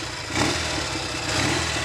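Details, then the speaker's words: Norton Navigator 350 single-cylinder after restoration, slightly flooded carburettor: rough start settling to steady, even idle with no knocks or misses, charging works; normal idle, though gearbox lacks second-gear drive. "but now it's time to start it up the engine's running nicely um everything's working it's even charging all the lights work and everything"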